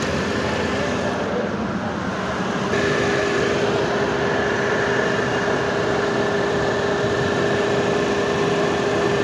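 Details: Renault Kwid Climber petrol engine idling after water pump replacement, coolant refill and bleeding air from the heater pipe: smooth, even idle with a faint steady hum and no knocking, whining or grinding; the earlier noise has stopped and it sounds healthy.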